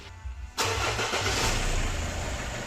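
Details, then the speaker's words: Nissan Murano Z51 2.5 common-rail diesel, cold engine, after fixing a key fault found by oscilloscope (previously stalled after cold start): short crank, fires immediately and holds steady idle without stalling or throttle; normal cold start. "Тобто це Якраз ті умови про яких несправність проявлялась і тепер Як бачите двигун працює нормально на холостому Ду при цьому не глохне і при цьому вже Немає потреби підгазовувати оборти тримаються"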